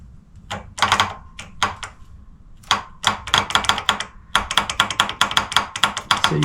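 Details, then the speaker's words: Starter circuit test on a freezing January day: sharp irregular clicks each time the circuit is grounded with a meter across the solenoid posts, but no contact and no motor spin; the solenoid plunger moves but doesn't connect, suspected faulty solenoid. "It makes a noise, so it sounds like the solenoid's moving, but it's not contacting the two when the plunger comes out."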